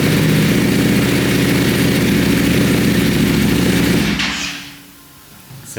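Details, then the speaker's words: Rebuilt wrecked 2020 Ducati Panigale V4S with a full aftermarket exhaust system: loud, deep V4 idle with a steady, even, lumpy beat and no knocks or rattles before shutting off cleanly; a healthy idle. "pretty loud sounds good"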